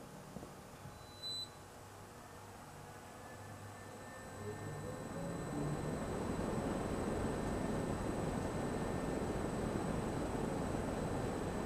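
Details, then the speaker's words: Sturtevant Size 8 Design 5 propeller fan, bearings oiled via wicks, first run in maybe 30 years at 50% speed on a crane; motor hum builds as blades spin up into steady airy rush; drawing 1.6 A at 100 V; running smoothly. "That looks like success. Motor's drawing 1.6 amps at 100 volts"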